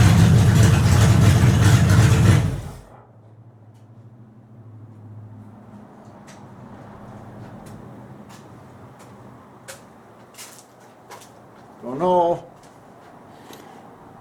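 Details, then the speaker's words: 1929 Chrysler with new DIY 2.5-inch exhaust, recorded from the rear of the car as a sound check: a loud burst of engine, then a quiet, smooth low idle with an even exhaust note; normal idle. "But anyway, the mufflers sound real good."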